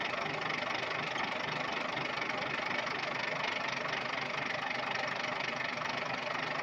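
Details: Volvo TWD121 stationary 6-cylinder turbodiesel after fixing a loud knock by replacing one intake valve and a gasket set: even, steady diesel clatter at constant speed with no heavy knock; normal running after repair.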